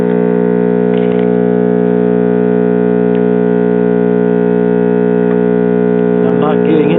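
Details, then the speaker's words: Mid-1960s Bulova "Power Transistor" AM clock radio, possibly Arvin-built, transformerless line-operated chassis, at first switch-on: loud steady high-pitched howl of constant pitch; oscillation from bad filter capacitors. "let's turn it on and see what happens bad filter capacitors here"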